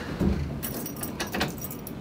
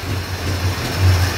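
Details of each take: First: Dodge Dart after steering column install, cold with choke barely on: rattling and handling, then the engine catches at once and keeps running steadily off the key; normal start. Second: Dodge Dart after steering column install, very cold engine with choke barely on: low idle surging and sagging unevenly as if about to stall, but it keeps running; rough cold idle from insufficient choke.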